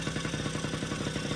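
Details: 1980 Yamaha Champ 49cc oil-injected two-stroke scooter after new cylinder and piston kit: fast even putter with no knocks or misses; rebuilt engine running fine, though it later died.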